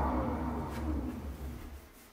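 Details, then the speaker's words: Veteran Abrams electric unicycle, about 45 kg, after just 70 km of riding; spinning hub motor gives a rough, gritty drone with wavering low hum; broken, worn wheel bearings probably needing replacement. "and yes this is the sound of broken bearings sadly after just 70 kilometers of riding the bearings here are broken and i'll need to fix them and change them probably"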